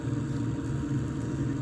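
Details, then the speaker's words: Bykski B-TFC-CS-X flow/temperature meter on a custom water-cooling loop (i9-14900KS PC), air bled out, flow about 5.2–5.5; soft steady hum with faint arc-like whir of the impeller spinning, normal flow sensing. "you may actually be able to hear that impeller turning in there. It sounds like a small electrical arc, but I'm pretty sure it's that impeller, and that's how it senses the flow."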